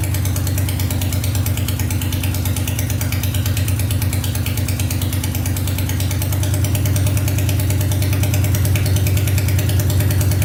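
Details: Honda 500cc engine swapped into a tractor, running after coolant was added to check for leaks, following a wiring repair: very loud, steady, even beat of about three pulses per second with no misses; fires right up, no leaking yet.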